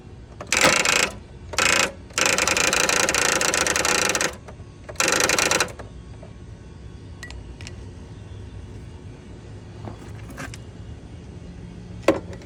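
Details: Toro TimeCutter mower with several short bursts of harsh whirring cranking, each cut off abruptly, engine never catching; bad starter.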